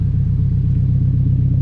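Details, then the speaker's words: K24-swapped turbo Honda Civic on Haltech ECU with freshly redone wiring loom, heard out the back: deep, even exhaust burble at idle, steady pulses, no misses or ticks; purrs, running like a dream; normal idle. "absolutely purrs big shout out to haltech but it's running like an absolute dream now"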